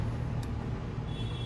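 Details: Bajaj BS6 auto rickshaw after idling problem resolved; idle is governed by the ISCV stepper motor, not the throttle screw: low, even thrum with steady beat and no hunting or surging; smooth correct idle.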